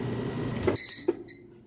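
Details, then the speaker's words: Maytag top-load washer lid lifted during full spin: fast spin hum cuts off with a brief high screech as the braking system stops the drum immediately, a harmless brake screech. "I'm gonna lift this up here and show you that it is spinning very fast and you'll hear it break and see that it stops immediately which is a great safety feature"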